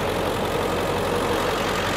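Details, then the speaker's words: 2003 Ford Excursion Limited, 7.3 diesel: steady, even diesel clatter at idle with no misses, knocks or surging; healthy idle. "we'll go ahead and start it up you can hear it run back here you know it sounds like a 7.3 diesel doesn't blow smoke or anything"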